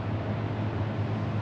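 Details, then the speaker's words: 1967 Chevy Impala with a 283 small-block from a '65 Chevelle, both sat 40 years, at idle: a loud, low V8 idle that occasionally stumbles. The stutter is possibly the carburetor; timing is good and oil pressure is about 38 psi. "Sounds like it stutters a little bit sometimes. It's stuttering. And that could be carburetor."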